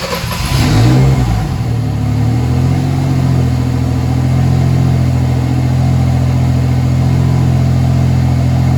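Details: Mercedes W203 with turbo M104 engine after swapping 440cc injectors back to original M104 injectors: deep, even idle hum, no stumble or misfire after a small rev; runs much smoother, issue traced to injector setup.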